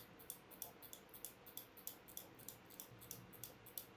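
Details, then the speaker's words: 1940s Breitling Premier chronograph with Venus 175 movement during service, balance first oscillating before power is put on the mainspring: faint, slightly uneven ticking around three beats a second; weak low-amplitude swing from too little mainspring power. "now if you think that sounded a little bit sad then yeah you're right"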